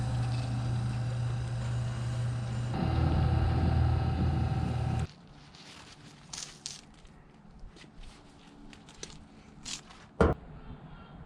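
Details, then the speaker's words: Electric wire stripper stripping thick, medium and thin wire: steady even motor hum deepening slightly as cable feeds through, then a clean stop; smooth and quiet, running normally. "let's see how it does against thick medium and thin wire nice and smooth and quiet"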